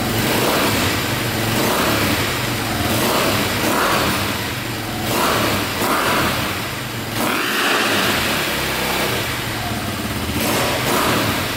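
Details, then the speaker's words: KTM 450 single-cylinder dirt bike, possibly a dual sport, idling after a carburetor fix with a suspected overheating problem: it idles crisply and picks up cleanly on blips; running is normal. "wow what's good so far see if she fires right back up sounds good"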